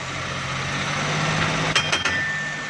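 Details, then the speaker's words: Suzuki Ravi idling, then put in reverse: steady engine drone, then a thin whine and rough clunks once reverse engages; noise also occurs in 1st and 2nd; a broken bearing or part inside the gearbox is suspected. "ये देखें दोस्तों, बहुत ही आवाज़ दे रही है। ये इसके गियर में कोई अंदर बैरिंग टूटा हुआ है या इसमें कोई चीज़ टूटी हुई है।"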